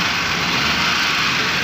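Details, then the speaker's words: Suzuki Cultus/Coure, carburetted, after tappet adjustment, plugs fitted, carburetor and points check, for engine noise complaint: steady even idle with no ticking or tapping over the hum; valvetrain quiet and healthy. "ये देखिए माशाल्लाह गाड़ी स्टार्ट है, बिल्कुल स्टिल है, साउंड ज़बरदस्त है।"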